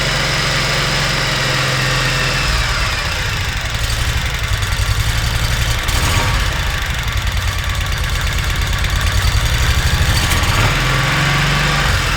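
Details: Kawasaki Mule 3010 small engine after replacing a failed fuel pump: steady, even chugging idle around four beats a second with no skips or surges, pump heard working — confirmed fix, normal running.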